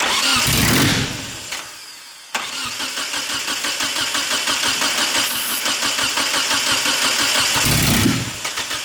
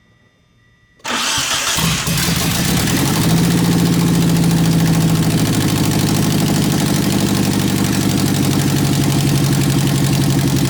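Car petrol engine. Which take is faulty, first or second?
first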